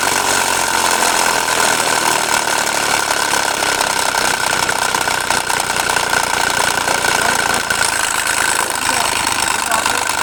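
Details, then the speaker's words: Suzuki Ravi 2018–19 petrol engine idling before timing belt tensioner bearing replacement: a steady high whine and rough, gritty hiss from the worn timing belt tensioner bearing. "इसमें आवाज़ timing bearing की कैसे आवाज़ आ रही थी। ठीक है, तो मैं साउंड आपको सुनाऊँगा।"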